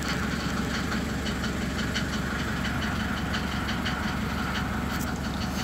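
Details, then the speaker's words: SsangYong Musso diesel, cold engine in garage: slow, lumpy idle with uneven clatter, sitting at roughly 400–500 rpm and stalling when cold unless the pedal is held; one nipple on the engine warm-up sensor broke off, owner suspects it; sensor being replaced. "у меня на холостых стоит где-то примерно 500 400 оборотов а на холодную когда вообще глохнет"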